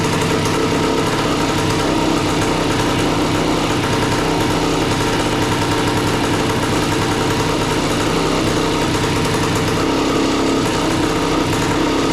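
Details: A 1976 Suzuki TS185 two-stroke dirt bike, long-stored and just revived, buzzes at a steady idle with a ragged, uneven crackle. The idle screw is being adjusted, and the owner wonders about flooding or the float; the idle is poorly tuned.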